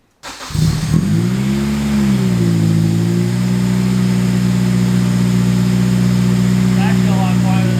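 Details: K20-swapped Honda CRX starting with the exhaust tip still on: catches within a second, flares briefly, then settles into a smooth, even, mellow idle with no misses; healthy.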